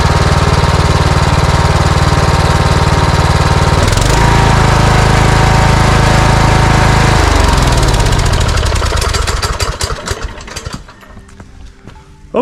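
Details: Cub Cadet riding mower with Kohler engine, previously surging from fuel starvation, after carburetor replacement and new air filters: smooth, even beat with no hunting or popping, winds down cleanly at shutoff; normal running.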